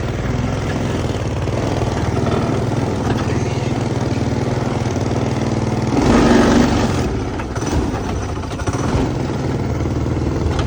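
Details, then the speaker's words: Go-kart small engine with a new 30mm carburetor pops unevenly near idle with a surging beat and a brief rev rise; running rough after initially running well, something plugged and needing tuning. "is wrong I don't know what's wrong but something's wrong"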